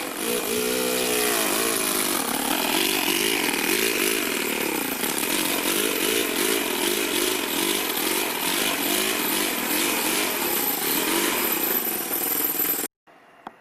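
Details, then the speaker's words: Toyan FS-V400 four-cylinder four-stroke model engine in an RC rat rod; the revs sag and surge unevenly as if loaded down, because the clutch bell nut keeps loosening and the bell binds against the gearbox housing. "it was causing it to go whoa you hear it kind of like it was it needed more air or something but it was actually just getting bound up really weird"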